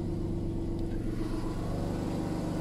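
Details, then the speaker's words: VW Polo with repaired alternator (previously not charging): steady, even low idle with smooth unbroken rumble, no stumbles or dropouts; new regulator now charging, no more dropouts; normal idle. "und siehe da keine aussetzer mehr"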